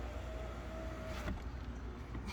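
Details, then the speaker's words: 2011–2018 Dodge Durango, driver side window after replacing the master power window switch: brief steady motor whine at one pitch as the glass travels, stopping cleanly; window works normally. "going up and down. Driver side work."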